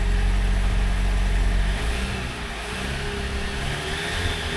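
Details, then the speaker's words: 2019 Jeep Wrangler Unlimited Rubicon with 54,000 miles at auction: on startup and revving the engine sounds rough, gurgling and uneven, unhealthy for its mileage; noisy motor, cause unknown. "all she's a little gurgly for 50,000 miles this thing sounds like a turd box"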